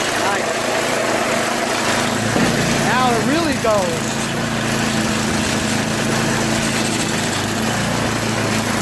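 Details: Tecumseh two-stage snowblower engine after unclogging the float-bowl fuel jet nut and replacing a cracked primer line, which cured earlier surging; steady even drone, no hunting or surging in pitch. Holds speed smoothly, runs fine.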